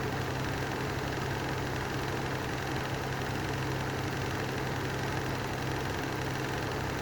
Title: Lanson style 3 exhaust fan with bad bearings